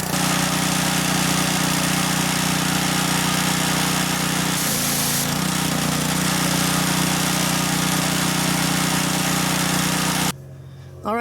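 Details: Simpson 3300 pressure washer (2.4 gpm, Honda engine) after OEM water pump replacement: steady engine drone, firm even hum, no knocks or surging, then cuts off; runs normally, no leaks after several minutes.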